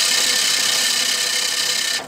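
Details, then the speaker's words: Reel mower being backlapped: reel spun backwards by hand against the bedknife with grinding paste brushed on, giving a harsh, steady high-pitched grinding rasp that squeaks less and turns raspy as the paste does its job. "And over time you'll slowly hear that nasty sounds start to disappear quite a bit, and that's when you know your paste has done its job. So you can hear that's not squeaking as much, not squeaking, like making a bit of a raspy noise."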